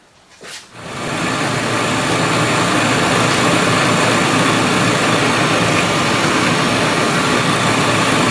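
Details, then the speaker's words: 1968 MGC heater blower motor after lubricating its brass bushings: it spins up within a second to a steady, even rush of air with no squeal or chirp; the squeal used to appear mainly when cold. "right no squeal from the blower so we'll see I'll let you know if it comes back or not"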